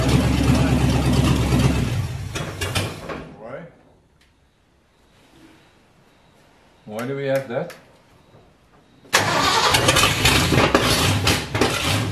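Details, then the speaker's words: Ford 351 Windsor V8 in F100 rat truck, first startup: loud ragged firing that hunts and surges, cuts out, relights and races rough; no timing changes made, owners suspect dirt in the carburetor, possibly from the fuel line. "so okay between the fabricator and the barefoot mechanic we can only think that there's dirt in the carburetor right"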